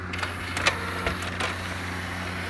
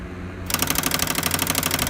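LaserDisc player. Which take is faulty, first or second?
second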